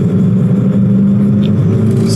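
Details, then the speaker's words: 2014 Chevrolet Malibu with intermittent stalling, lean idle and cat codes; engine under load drones then stumbles and breaks rhythm, a heavy misfire; technician suspects high O2 sensor bias leaning fuel and causing stalling, misfire cause unconfirmed. "that was causing the stalling right there bad miss real bad miss right there wow"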